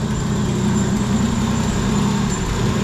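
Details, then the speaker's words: 1987 Nissan Pathfinder VG30 V6, first warm run after head gasket and timing belt replacement; slightly lumpy, uneven idle with a faint hiss; owner suspects a vacuum or exhaust leak and says the timing needs work; uneven idle. "sounds like i might have a vacuum leak it might have an exhaust leak i definitely need to work on my timing but uh"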